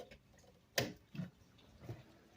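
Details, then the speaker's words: DC Audio 3.5K car amplifier on bench test after protection-mode repair: one sharp click then two softer thumps on power-up, indicator light on; relay engaging normally, amplifier working. "And you heard that? That means the amplifier is up and working, guys."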